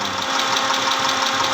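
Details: 2010 Mitsubishi Pajero, 6G74 V6, at idle: a light, evenly spaced ticking knock, about six taps a second, over a steady idle; engine knocking, cause still to be traced.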